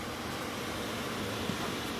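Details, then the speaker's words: Mercedes Sprinter, key out of ignition, battery draining overnight: steady even rush of fan air as the blower motor keeps running; blower motor running with key off. "e you can hear that and right now the key is out of the ignition okay but the blower motor is running so this is a problem"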